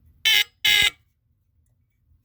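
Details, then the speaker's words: Old Tanita Mfg. Co. No 2 heat alarm, retested with its cover taken off after the battery got jolted: two short, loud, shrill horn blasts of about a third of a second each, then silence; sounder works. "cuz I can never get any to happen there that's cool that's loud"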